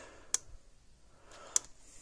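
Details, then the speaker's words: Zareba TSC Hol-Dem 50 Mile 2 joule fence charger, about 28 years old, repaired with a new capacitor, replacement transformer and resistor, about 9.5 kV: crisp even clicks about every 1.2 seconds; clicking right along normally. "There it goes. Clicking right along."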